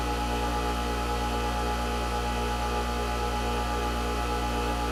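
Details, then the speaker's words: New Hando bench grinder running free at about 67 dB, quiet enough to talk over: a smooth, steady motor hum with an even tone and no knocks or rubbing; the grinder is spinning freely and sounds healthy. "Nó khoảng 67 dB. Thực sự nó có cảm giác êm hơn giọng nói của tôi. Chỉ cần thế là đủ tiếng ồn để có thể trò chuyện."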